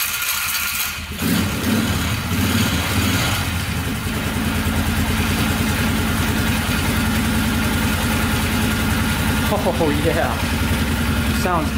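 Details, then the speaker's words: Polaris 500 4x4 ATV bought cheap, previously no spark, first start with choke after repairs: steady even single-cylinder putter about 3.5 beats per second, idling perfectly with no knocking; normal idle. "it's idling perfectly no knocking at all sounds really good"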